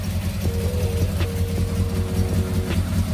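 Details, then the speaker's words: 1991 Yamaha XJ600 with 48,000 on the clock, started off a battery: steady, even low burble at idle with a regular pulse and no knocks or misses; started straight away, healthy-sounding engine. "I don't know much about engines but that sounds to me like a healthy engine"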